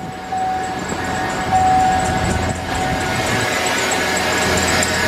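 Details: 2007 Chevy Suburban engine at idle: thin, steady squeal over the engine hum, still present with the A/C belt removed, from the serpentine belt tensioner pulley; tensioner pulley and belt replaced.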